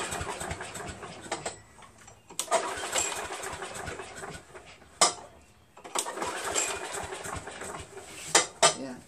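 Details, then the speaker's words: Craftsman self-propelled vac chipper with Briggs 6.75 engine, long-sat, choke and throttle varnished: several sharp pull-cord bursts, each dying at once with no firing; crank no start, gummed carburetor starving it of fuel. "doesn't seem like it's gonna start"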